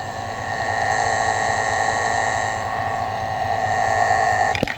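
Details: 2021 Silverado, about 110,000 miles, heard through a screwdriver probe on the idler pulley bolt at idle: a steady high-pitched whine, worse on startup and with revs, that cuts off when the probe leaves the bolt. A worn idler pulley bearing; planned fix is a new idler pulley and serpentine belt.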